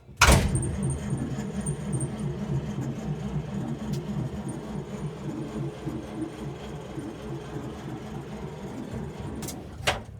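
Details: 1947 International truck, cranked after the spark plugs were dried with a torch, a battery charger hooked up, and straight gas found when the carb was drained: it cranks steadily for about nine seconds without firing; spark is to be checked next.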